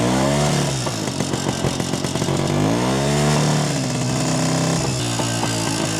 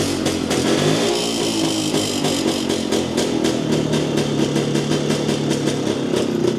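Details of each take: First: Jawa 250 two-stroke after engine teardown and rebuild (heavy smoking after dyno): buzzes and rises cleanly with each throttle blip, returns to steady idle without hanging; carb retuned with self-drilled ~0.66 idle jet and 95 main jet, now well adjusted. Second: Jawa 250 two-stroke, first start after opening the engine for heavy smoking after a dyno run (gasket failure suspected): catches and runs at a rapid, slightly uneven crackle with some clatter, then cuts out; still smoking somewhat.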